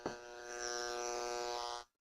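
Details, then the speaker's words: Noise sniffer plugged straight into an AC wall outlet, before any filtering through a Panamax power conditioner; it turns line noise into a harsh steady buzz with a hissy edge, showing how noisy the mains power is. "this device which is known as a noise sniffer it picks up any noise on an AC line and turns it into audible static so first we'll try it out right directly in the box"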